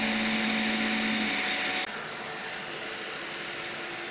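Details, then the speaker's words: Piocreat G5 pellet extruder 3D printer, 2 mm nozzle, speed setting 150: steady whining motor hum with even feed, no stepper stalls. Normal printing at about the maximum advisable speed. "all right I'm not hearing any extruder stepper stalls we're cruising now nice"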